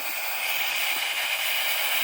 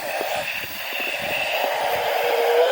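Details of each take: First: Small 100 psi steam boiler being fired up: safety valve pops off, lifting cleanly at set pressure with a steady loud hiss of venting steam, no pulsing, just before a whistle is first blown. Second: Airy, steady chord-like whistle with a brief dropout, blown for the first time on a small 100 PSI steam boiler after the safety valve lifted; the airy tone suggests wet steam from boiler priming.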